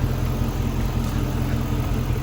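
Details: Chevrolet Suburban after oil pan reinstalled, no bottom-end fault found: steady deep idle, low even rumble with knock much reduced; earlier bottom-end-like knock, owner suspects top end such as a roller lifter or rocker arm, unconfirmed.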